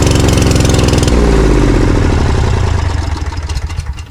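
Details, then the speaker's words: Briggs & Stratton Vanguard 20 HP V-twin zero-turn mower, started with the left plug lead off so it runs on the right cylinder only, to test for a weak ignition coil: it fires and settles into a steady, fairly even beat, then winds down; that side runs fine. "Okay, so now I'm going to start it without the left side plugged in. I'm just going to start it with the right side plugged in."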